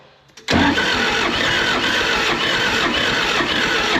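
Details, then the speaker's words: Military John Deere 450G dozer, 300 original hours, inoperative: hard cranking with loud harsh grinding churn that won't catch, smoke from the injection pump, though it was flooded yet didn't lock up; cause unknown before engine teardown. "why is it grinding like that it's making room it is smoking from the injection pump"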